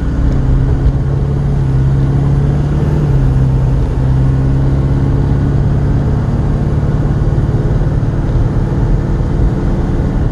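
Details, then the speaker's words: Silverado Duramax crew cab dually, AAM 11.5 rear axle just rebuilt with an Eaton locker, on a highway test drive at 60 mph. Steady drone with a faint low gear hum, a bit louder than remembered, no howl or clunk. New gears need break-in. "there it is 60 and no noise you can hear the gears a little bit louder than what i remember i think i'm paying attention to it now too i guess you got to break them in"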